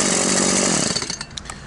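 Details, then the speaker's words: Stihl MS 180/170 chainsaw with a non-adjustable carburetor, which lacked power and bogged as if starved of fuel. After adjusting the carburetor needle, it cuts at full revs with a strong, even pull and runs normally. "и все как мы видим пила работает нормально"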